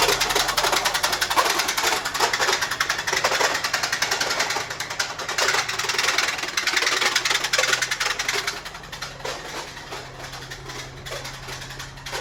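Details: Infiniti G35 recovered after sitting in the woods, battery dead, that starts and drives but cuts off: rough, ragged idle with a rapid clattering knock, three to four hits per second; owner suspects a heavy rod knock and needs a new engine.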